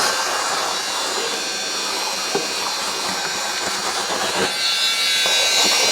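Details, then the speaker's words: Old wet vac mopping up spilled coolant on a workshop floor: steady, shrill, strained howl from the worn vac motor, slow but still holding speed; howling vacuum motor. "Howling motor push wet vac to the rescue."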